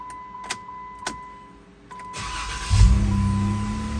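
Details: Jeep with an intermittent no-start, after replacing the starter, relay and starter wire pigtail; a brief starter crank, then the engine catches and settles into a steady idle, though later tries need two to three key turns.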